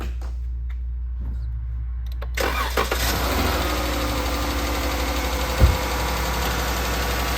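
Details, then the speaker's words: 2014 Dodge Charger 3.6 Pentastar V6 cranks, starts and idles with a light, steady, noticeable tapping from the top end, the common lifter or rocker problem of these engines. "all right so this one is not that loud but it is very noticeable it's making a tapping sound you can clearly hear that"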